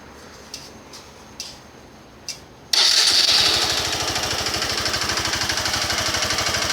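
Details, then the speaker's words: 150 cc motorcycle at just over 24,000 km, after a late oil change: small single start, then rattly idle with a steady tapping knock, more noticeable with slight throttle; mechanic says normal, owner suspects a fault, not confirmed. "se vocês podem notar é tipo batendo alguma coisa não é um barulho normal da 150 quem conhece a 150 sabe que tá diferente essa batida aí tipo querendo falhar alguma coisa estranha"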